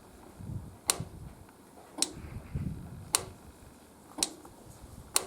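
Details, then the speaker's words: 1971 Triumph GT6 MK3 with a Laycock D-type overdrive, ignition on: sharp single clicks as the overdrive solenoid engages normally when the gear lever switch is moved. The overdrive fault (works in 4th, rarely in 3rd, slow to engage) is suspected to be a loose connection. "so when I put the gear lever over to the right you'll hear a click as the overdrive solenoid engages"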